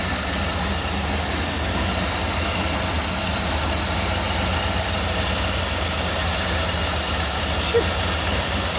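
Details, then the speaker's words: Early-1960s Ford F100 unibody shortbed, left in the woods 25+ years, first run after revival: steady, even low V8 idle, no knocks or misses, clearing up and burning off debris; normal idle. "this thing sounds good clearing up really nicely the thing was left for dead but we all know it it's just a hibernation"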